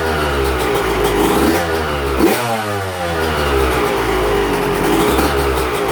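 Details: Yamaha YZ125 two-stroke, first fire-up on choke after a replated cylinder replaced a cracked one: crisp blips, with revs rising and falling cleanly and building freely. Normal running.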